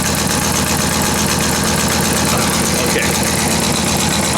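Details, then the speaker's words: Ford F250 V10 after starter install, idling: loud idle with fast, sharp ticking puff on every firing over steady rumble; exhaust manifold leak, owner believes gasket. "fired up but now you can hear that I have exhaust man old leak what's going on here"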